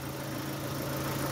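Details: Opel Astra G coupé Bertone after throttle body cleaning, before a short test drive; steady, even idle with a smooth low hum and no ticking. The earlier clicking has gone. Normal idle.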